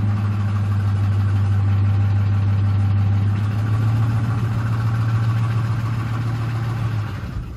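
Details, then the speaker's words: Ford 5.4L 3V Triton on a drive: steady hum with quick, uneven ticking clatter. Cam phaser oscillation from low oil pressure and volume caused by blown tensioners, too slight to trigger the cluster warning; worsens as the engine gets hotter. "being controlled uh because you have a low oil pressure and volume issue uh due to the blown tensioners and such and that will not show as a low oil pressure concern on your cluster here"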